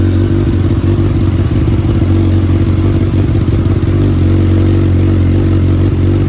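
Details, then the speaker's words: 2019 Suzuki Katana 1000 indoors with a newly fitted M4 muffler, baffle in: a crisp, even rumble rises cleanly on the revs and drops back to a steady idle, echoing in the room. Healthy engine. "That sounds good. That is with the baffle in."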